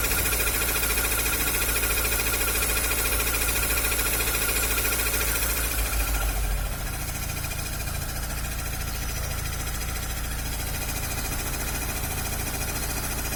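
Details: Chevrolet Corsa Hatch at idle: constant rough whirring and faint regular ticking from the belt end; owner unsure whether water pump, tensioner or accessory bearing; accessory drive bearing noise.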